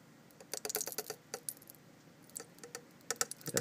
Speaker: you can definitely hear sizzling in there not a lot because I don't have a big sample